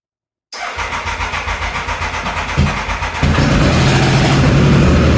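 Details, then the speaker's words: Triumph Thunderbird, first run after sprag clutch repair, on choke at about 45–50°F: fires cleanly, settles into an even idle, then revs smoothly with no knocks or misses. "I am super excited to hear that run for the first time. And now that's running, we can finally take that time to put everything else back together."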